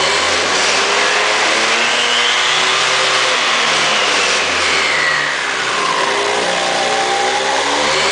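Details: 2002 Aprilia SR50 DiTech two-stroke on a lift table, wide-open-throttle fuel pressure test for power loss above ~30 mph (fuel line pressure drops 7.5 to 5 bar); high buzz held steady at full throttle, no cut-out, hard rattling vibration from the table.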